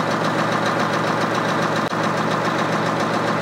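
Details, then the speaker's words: International Harvester TD20E bulldozer (13.0 L DVT800 V8 diesel, 200 HP) rescued from scrap, started without ether, good oil pressure, idle dropped down. Deep, even idle with a steady beat and no knocks or misses; normal idle. "let it idle minute yeah you should be able to drop that right down I think right yeah [Music] oh wait oh yeah there we go right there oh man is was perfect yeah"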